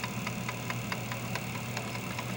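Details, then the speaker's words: Commodore 1541 drive driven from a diagnostic cart: F1/F3 step the read/write head back and forth with crisp, evenly spaced ticks about five a second over a low hum; normal stepping on the working drive. "I have complete control of the stepper motor with this program here I'm just hitting F 3 and F 1 to move it backwards and forward"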